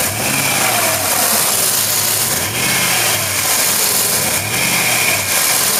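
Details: 2006 Jeep Grand Cherokee 4.7L V8 after exhaust manifold leak repair (broken manifold studs removed, new flange nuts and bolts fitted): engine runs smooth and even through a couple of light revs, no ticking or puffing at the manifold; sounds healthy.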